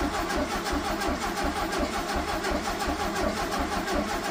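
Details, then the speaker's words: 1974 (owner believes) VW Super Beetle after sitting 8 years, cranking with fuel line into a jug to check flow: steady starter churning with compression beats, no firing and no fuel delivered; owner suspects the fuel pump is bad. "All right, so we didn't get anything. So, I'm going to assume Sorry, my arm's in the way. I'm going to assume that that fuel pump um might actually be bad."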